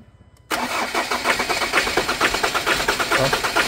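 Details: Ford Ranger diesel starting and idling with a hard, sharp knock about twice a second; high-pressure pump tested strong, knock attributed to damaged injectors.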